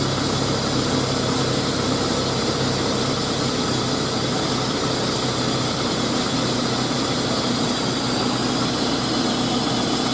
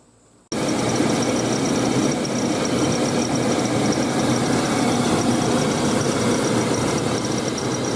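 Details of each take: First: 2000 GMC Sonoma 2.2L I4 idling after new belt and tensioner installed, PCV port temporarily capped: even, steady engine hum with no squeal or chirp; belt drive quiet, healthy idle. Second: Engine at idle before belt and tensioner replacement: engine catches, then a thin high squeal sits steadily over the idle without changing; slipping serpentine belt or worn tensioner.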